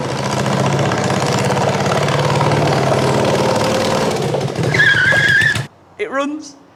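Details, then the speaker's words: 1981 Yamaha XV750 cafe racer with new Mikuni carbs and new ignition, after fixing swapped coil leads; loud, raw, uneven V-twin burble at steady idle, then cut off: runs fine, unsilenced exhaust, very short rear pipe. "But yeah, as you can hear, it runs, it rides, does what it needs to do. It is extremely loud because there's no silencer anywhere on them exhausts, and the rear pipe is very, very short."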